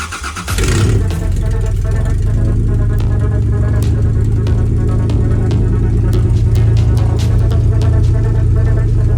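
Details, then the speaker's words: Toyota Land Cruiser Prado 90 first start after rear main seal and oil leak repairs: loud, raspy, deep idle with fast puffing from a bad exhaust leak, essentially open exhaust, later fixed. "Now the exhaust leak was still pretty bad, so that's why it sounds like crap."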